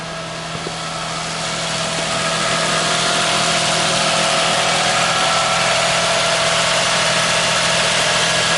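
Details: 2001 Toyota Sienna after a no-crank fault was fixed by replacing the starter, at a smooth, even idle with a steady hum and no knocks, misses or hunting. Normal idle.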